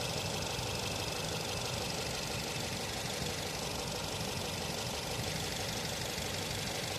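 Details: Nissan Tiida petrol engine idling with an uneven, stumbling beat. Misfire at idle caused by a spark plug problem.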